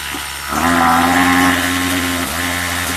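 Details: Craftsman two-stroke weedeater with an attachment fitted for drag, idle screw set low; buzz climbs on throttle, sags briefly, then picks back up, like stalling before it kicks in. Hesitation on acceleration, cause unconfirmed.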